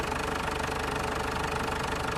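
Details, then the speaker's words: Ford Everest diesel (complaint: low power, noisy engine) after hand-pumping air out of the fuel filter assembly: idle rises to a steady, even clatter at normal speed; previously idle was too low. "I bombahin mo lang yan pag Masyadong mababa yung Menor possible May hangin pa yan o Pakinggan niyo mga boss tumaas na yung Menor"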